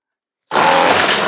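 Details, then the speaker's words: Redmax weed eater that wouldn't start, running after its spark plug gap, nearly closed, was reopened and carb sprayed: high buzzy two-stroke whine holding steady, starts readily, sounds good; choke works. "Ikke nok med at den kører, det lyder godt."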